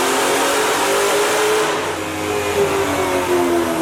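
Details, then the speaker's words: 2004 Mustang Cobra Terminator with a ported 2020 GT500 supercharger and 2.8 upper pulley, dyno baseline pull. Winds hard but runs rough near the top, with possible tire spin. Owner suspects spark blowout; TR7IX plugs to be fitted. "I think it's spinning. I think it needs plugs. All right, it sounds like it might be getting some spark blowout, so I'm gonna go ahead and get a fresh set of TR7IXs in it."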